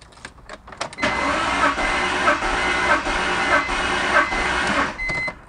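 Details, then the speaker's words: BMW E46 3-Series compression test: coils unplugged, DME relay pulled, throttle held wide open, six cranks per cylinder; steady starter whir with even compression pulses about every half second, no firing; cylinder 1 read 160 psi, normal cranking. "I'm going to put my foot down on the pedal all the way to open up the throttle plate all the way, and then I'm going to crank it for 6 times until I hear the engine turn over 6 times. It's important to do this consistently for each cylinder."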